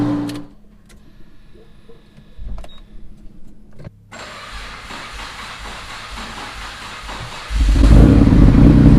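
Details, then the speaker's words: Fully built twin-turbo, straight-piped Mitsubishi 3000GT VR4 cold start: the starter grinds about three and a half seconds, longer than normal, before the engine fires loud; spark plugs fouled from two-step use and pretty much done. "everything seems good and bars are good it cranked a little bit longer than normal there these plugs are pretty much done"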